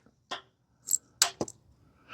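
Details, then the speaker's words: Dixie Chopper zero-turn mower with no-start, new ignition switch fitted: a few sharp isolated solenoid clicks with no cranking after; engine still won't turn over, later traced to a faulty starting module. "That's the starter, the carburetor solenoid clicking over there. All right, is it gonna turn over? Still got nothing."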